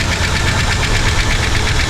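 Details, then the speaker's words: 1960 Buick LeSabre V8 just started after long hibernation and fuel pump replacement, not yet warm: steady idle with a fast, light tick riding over it; cause not pinned down. "That's freaking That's ticking a little bit. Did he have a Why'd you shut it off? It started up so fast to me."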